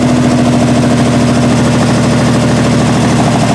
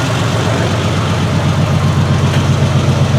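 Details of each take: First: 1968 Triumph TR250 engine first started after body-on-chassis restoration, idle screws backed out two and a half turns: uneven, lumpy idle with wavering beat over a low drone, from poor initial carb setup, loose linkage and timing needing adjustment. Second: 1968 Triumph TR250 after first start-up tinkering: steady, even idle with a regular beat about four a second, no misses or stumbles; engine now running much smoother.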